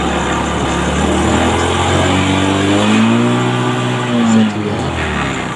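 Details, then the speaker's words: Motorcycle starting on replacement battery pack built from 24 used laptop cells (14.4 V): small engine fires up, revs climb smoothly with throttle and drop back without stumbling; normal start and revving. "Setelah digas juga naik juga layak untuk digunakan, Mbak."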